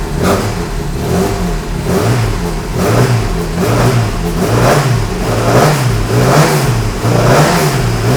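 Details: Classic Mini Cooper S race engine just refitted, running cold with oil pressure over 100: each rev rise, about once a second, sounds sluggish and uneven. Hesitant throttle response because the carburettor needles are still lean after enriching; richer needles are on order.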